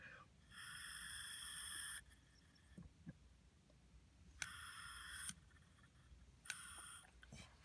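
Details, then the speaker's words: 1978 Honda Hobbit moped, cleaned carburetor reassembled, air blown through clean fuel line on inlet; short airy whistling bursts, then air shuts off when carb flipped: float needle and seat sealing correctly. "put a clean piece of fuel line on the inlet and blow through it you can feel air and you can hear air going into it now when you flip that over the air should shut off"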